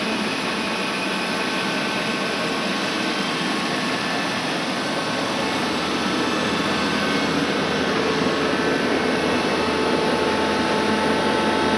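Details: Worm screen centrifuge test run after repair of bad vibration: the worn main drive bearing diameter was machined and sleeved and the main drive and gearbox bearings were replaced. It gives a smooth, steady whir with an even hum and no knocking or grinding; running normally.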